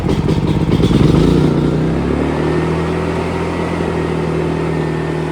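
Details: AIVolt AS8000411 generator after new inverter, battery, stepper motor and disabled CO, oil and low-fuel sensors: uneven lumpy firing for about 1.5 s, then a lower steady note before it shuts off; keeps stalling, cause unknown.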